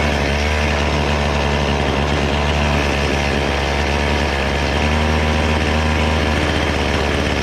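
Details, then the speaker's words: Chainsaw two-stroke revved while adjusting the carburetor high-speed screw after setting the low-speed one: a steady, even drone with no surging, running clean and well tuned. "then to adjust the high speed you just rev it up and adjust it until it sounds good"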